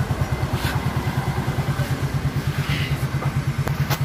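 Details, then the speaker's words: Yamaha Mio J scooter idling after the one-way starter clutch was replaced; the earlier noise had resembled a con rod fault. Now an even thump about three a second with no ticking or clatter, sounding like a normal bike. "Tidak ada bunyi-bunyi aneh lagi ya sekarang, seperti motor normal ya."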